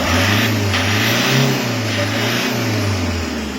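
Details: Toyota HiAce 2KD diesel after overhaul, number 3 cylinder bored .50 oversize for scored piston and liner: revs rise and fall smoothly, clean and even, no knock; knock fixed.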